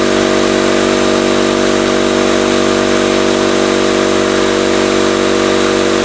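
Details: 20-gallon Campbell Hausfeld oil-less air compressor after reassembly, first test: steady, even motor-and-pump drone with no knocks or rattles, running normally but building pressure slowly; later a split copper tube was found.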